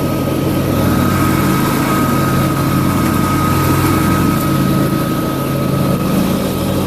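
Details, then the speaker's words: John Deere LA150 lawn tractor nearing 300 hours, mower deck with Gator blades: steady engine and blade drone with constant whistle, no knocks or rattles; loud from suction, two spindles replaced, bearings in decent shape. Normal deck operation. "yeah like I said the mower deck's a little loud but the I've replaced two of the spindles since I've had it"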